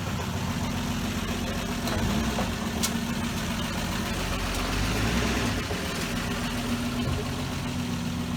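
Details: 1966 Dodge Dart GT, Slant Six 225, driving on a wet road after timing was reset from way advanced (about 20–25° BTDC). Steady, even drone under light load with road noise, no popping or stumbling. Running much better, normal.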